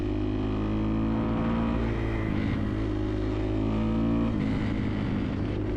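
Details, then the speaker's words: 2011 Kawasaki KX250F single-cylinder after idle repair, idle wandering gently with faint light tapping from valves shimmed on the loose side; otherwise running well with strong power. "definitely learned something the forarms came through on this one and actually shim these things way on the high side you can actually sort of hear them tapping a little bit"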